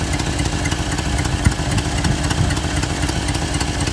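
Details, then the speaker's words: 1988 Chevrolet Suburban 2500 V8, first start after six years of storage: rough idle with a sharp, uneven puffing tick over the low rumble from a broken exhaust header; strong fuel smell, possible knock felt when revved. "Man, you can really hear that. You can really hear that broken header."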